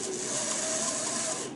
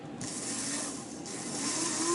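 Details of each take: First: Aurora HO slot car dune buggy chassis, restored, run on transformer: tiny motor whirs at high speed with a thin steady squeal from a dry bearing needing oil. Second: Aurora HO slot car dune buggy chassis motor during restoration, after a new crown gear and brushes, run on a transformer: a tiny motor whirs in short hissy runs with a rising tone. It squealed for oil before oiling.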